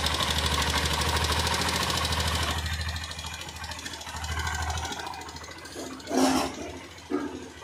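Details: Honda Shine fitted with a fuel pump circuit alteration kit, injector tube reconnected, kick-started because the battery is low: fires and settles into a steady, even putter about 200 beats a minute; running normally.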